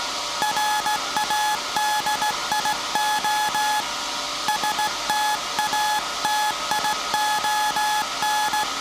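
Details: SAQ Grimeton 1924 Alexanderson alternator, 17.2 kHz VLF CW centennial transmission, punched-tape transmitter soon handing over to manual telegrapher keying; clean steady tone near 850 Hz keyed in crisp dots and dashes; normal Morse keying.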